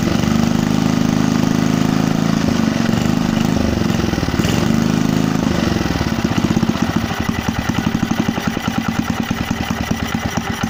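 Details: Briggs and Stratton 3 HP petrol engine on a Landmaster rotavator, first start after rebuild with another crank fitted: starts slightly uneven, then settles into a regular, clean firing beat; running properly.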